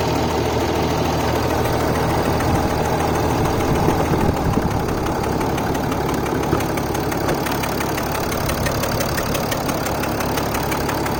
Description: Weird metallic ticking engine noise from mercedes ml350 bluetec. Engine is om642 with turbo. Anyone knows what this means? I took it to an indy he said it is a normal noise